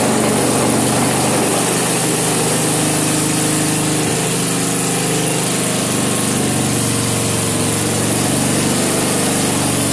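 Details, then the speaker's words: Vintage snowblower, small single-cylinder engine on its first start test, choke partly backed off. Steady, even beat with no stumbles or knocks; running smoothly. "I can work with that all right that doesn't even sound too bad no kidding well that might be all right"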